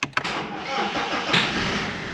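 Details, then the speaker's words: BMW diesel on its first start after reassembly. Brief crank, then it catches at once and settles into a steady, even idle, with some crackle noted and a fuel warning light on. Later diagnostics showed the glow plug errors cleared. "Bet, nu, rūc, tas jau ir pozitīvi. Tā kā sanāca."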